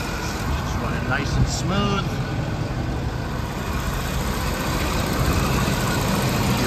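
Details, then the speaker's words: 1987 Jaguar XJ6, fully cold after sitting a couple of weeks, heard outside at the exhaust after an easy start: steady, even idle with light injector ticking and no misses or knocks. Normal cold idle. "so now that we've got her running you saw how easily she fired up we're going to go back outside listen to a run and you can hear how much louder it is out here"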